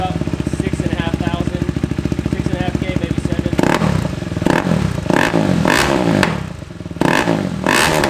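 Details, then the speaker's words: KTM Duke 390 true cold start right after swapping the quiet factory exhaust for a Pro-Race shorty pipe: quick single-cylinder idle and throttle blips with sharp overrun pops; owner suspects lean running and plans a FuelX to add fuel. "man i absolutely love the way that sounds um it's actually got some pops to it now so it's probably time we throw on the the fuel x we can add some more fuel to it so it's not leaning out any"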